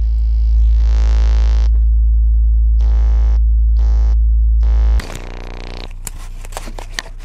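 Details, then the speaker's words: Monitor Audio subwoofer played with a bass test tone: a deep tone with a harsh buzzing edge, then rattly clicks; two sources of distortion noise, fixable with glue. "as you heard the subwoofer had two serious source of distortion noise this can be fixed with glue"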